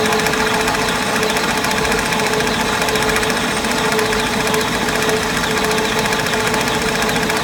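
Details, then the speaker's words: Index 645 vertical mill parts being machined, replacement bearing cap or thrust plate: uneven choppy chatter about twice a second over a steady spindle tone; intermittent cutting because the workpiece slipped in the chuck and moved off center. "you'll hear it right now where it's intermittent cutting that's the point where the the part moved in the chuck"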